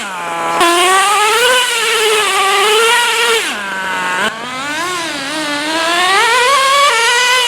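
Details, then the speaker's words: Traxxas T-Maxx 3.3 nitro engine running in cold, snowy weather after sitting 8+ years, carburetor richened slightly for the cold: screams up and down with crisp, steady revs and no misfire or stumble; running healthy. "so as you just saw the truck ran great we just got done burning through a whole tank of fuel all I had to do was just rich in the carburetor just a tiny bit since it's so cold out but uh this thing ran awesome"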